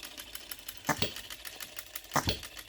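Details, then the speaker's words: OKMO Retrol B02 miniature petrol hit-and-miss engine on shellite, very first start, straight out of the box: sharp firing pops in pairs about a second apart, quiet coasting with faint ticks between; clean, steady, not moving around, healthy. "Listen to that hit and missing. I'm so pleased with this."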